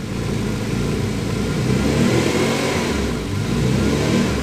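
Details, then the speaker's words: Twin turbo Ford Capri at idle with a new vacuum leak: engine speed rises and falls on its own, never settling, at the throttle position that used to be correct idle; hunting idle, cause not confirmed. "So she's not happy. That position where she was hunting then on the, when I opened up the throttle body a touch, was where it used to be set at idle."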